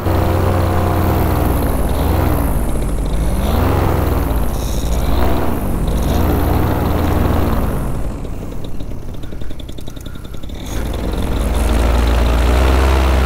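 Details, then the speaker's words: Vittorazi Moster 185 paramotor with Walbro carburetor in flight: engine note surges and sags about every second under wind noise; running rough, owner feels it is running rich and stops it to lean out the mixture. "yes I'm gonna kill it and make some adjustments on it stall stall stop there we go so it feels like it's running rich and when it's running rich we want to lean it out just a little bit"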